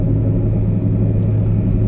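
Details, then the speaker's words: 2008 Honda Civic Hybrid driving on road: steady low droning growl under road noise, not changing when turning either way; worn wheel bearing, front or rear not yet identified. "But that noise you hear is a wheel bearing noise. So that is a temporary obnoxious."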